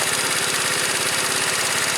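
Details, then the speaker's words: 2012 Tao Tao scooter after variator repair with a new variator pulley and roller weights: an even, quick put-put at about thirteen beats a second, steady with no misses or knocks, running smoothly. "Smooth now, just like it's supposed to be."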